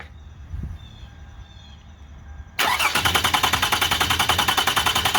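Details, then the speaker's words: Car cranked without starting, using the non-transponder key (immobilizer), to check new alternator belt tracking before final tightening: even, regular cranking with no firing; belt drive sounds healthy. "I have a way to turn this engine over without it starting. So let's go ahead and do that for a couple of seconds here, and hopefully it won't pop off."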